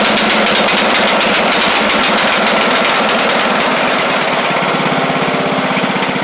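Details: Craftsman LT1000 lawn tractor with Briggs Intek engine, first run after head work, started right up; runs okay low but sounds rich at higher speed with a lumpy, uneven beat. Owner suspects a bad carb or mixture screw set too far out.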